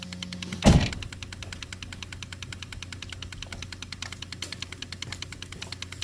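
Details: 1996 Jeep, purge solenoid in scan-tool active test: crisp, even ticking about five times a second as it cycles normally; the repaired purge circuit had been pulling from the canister at startup, causing hot-restart problems.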